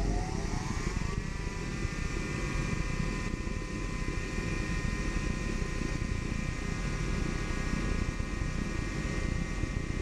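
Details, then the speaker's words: Dyna-Glo Workhorse 65,000 BTU forced-air torpedo heater restarted after an error reset with pump pressure turned up too high. Steady, heavy burner roar with a faint rising whistle and flames blowing out the end; overfiring from excessive pump pressure. "got that up a little too high we're actually blowing flames out the end"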